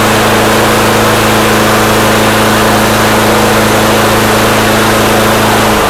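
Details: Snapper mower engine after carburetor jets were cleaned, holding a steady, even note at constant speed with no misses, surging or knocks. It runs smoothly.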